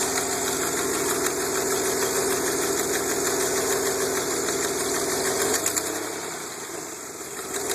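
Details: DeLorean VIN 4534 at idle before installing an aftermarket exhaust kit: steady ticking about four a second riding over the engine with the exhaust pulses, an exhaust leak.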